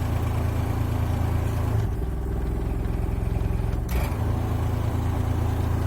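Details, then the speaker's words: Trailer heat unit on high after fan blades were trimmed; steady low hum with uneven clatter about three times a second. The fan was misaligned ("out of diagonal") and hitting its shroud, and its shaft is crusty. "I decided to take the whole thing off because I realized that it was basically out of diagonal that's why I was hitting the fan shroud in the first place"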